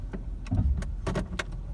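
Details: Nissan Almera/March/Note engine after a drive belt tension adjustment, pulling away in D: low steady rumble with no belt chirp or squeal; previously chirped on cold morning starts and on pulling away.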